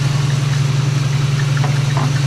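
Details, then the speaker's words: Old Oldsmobile, first time running on its own fuel tank with the radiator fitted, cold shop, transmission not hooked up: steady low hum with a smooth, even pulse and no misses or knocks; normal idle. "But yeah, it's running pretty good."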